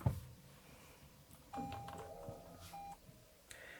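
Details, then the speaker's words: 2019 Toyota Mirai fuel cell electric vehicle, cabin start-up (foot on brake, push button): soft electric whir and short tonal chirps as the fuel cell stack warms up and powers everything on, then fades to quiet like a regular electric car; normal start-up. "And as you heard, it makes a very interesting noise. That's actually the fuel cell stack kind of warming up and turning everything on, and then it kind of goes away and it sounds like I'm just in a regular old electric car."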